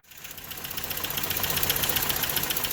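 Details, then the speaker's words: 1993 Toyota pickup 22RE after replacing the idle air control valve, whose coolant passage was plugged, to cure surging idle: steady low idle with fast even valvetrain ticking, no hunting or surging; idle much lower than before, speed screw still to adjust. "you could notice there's definitely a big difference in the idle it's definitely a lot lower than when we started"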